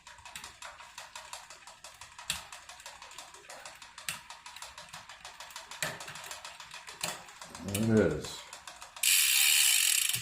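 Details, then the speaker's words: 2018 Specialized Venge road bike at 20,000-mile overhaul: rapid dry clicking as the chain spins, from the front derailleur not yet adjusted. The cable wasn't fully seated, so there is no complete tension for tuning. "clicking you can hear is from the front derailleur i haven't actually adjusted it yet so that's why it's making that noise"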